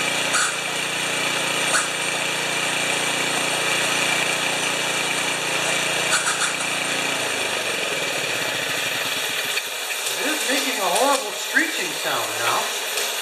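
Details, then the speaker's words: 1973 Tecumseh engine on a snow blower after carburetor reinstall, full choke, mid throttle, augers turning. It runs steady while a wavering, wailing air-drawing sound rises and falls; source unknown, no fuel leaks. Abnormal sucking noise. "now I don't know what that is might have to investigate that no leakage we know right away on the leakage where's that sction sound coming from we may have to just ignore it"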